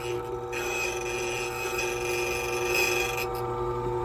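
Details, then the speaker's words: Silca Speed 045 key machine cutting a Ford key blank: steady high rasping buzz over a constant motor tone, even and uninterrupted; cutter biting the blank normally. "And listen for the buzz. There we go. One extra click. And one extra click based on the noise."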